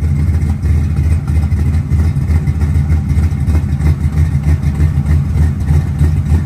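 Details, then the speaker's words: 1970 Chevy Nova, GM 572ci big-block with Tremec TKX 5-speed and Strange 9-inch 3.50 rear, just after carburetor rework and ignition timing locked at 38° BTDC; deep, even, lumpy idle rumble, no misses or knocks; normal idle, more responsive. "sounds pretty good you ready to take it for a ride"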